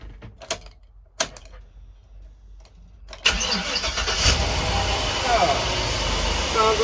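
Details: 2004 Chevrolet box truck V8 started after a weld repair with the battery previously disconnected: quiet until the starter, then it catches quickly and settles into a smooth, even idle with no misses or knocks; runs healthy.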